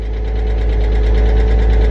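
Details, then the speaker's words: 1999 Porsche Boxster salvage-auction car that sat for years, idling after refuelling; a fast, even light tapping of about eight per second persists after 10 minutes. Sounds like a valvetrain tick, likely a noisy lifter. "gosh I was confident but it's been 10 minutes and the sound is still there"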